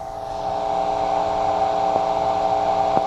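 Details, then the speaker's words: Carver C-19 preamp on the bench: steady hum with sharp isolated pops coming randomly between right and left channels; suspected around the +10 V zener bus and U14 4558 op-amp, not confirmed. Random popping noise. "you hear those little pops and they're randomly between the right and left channel"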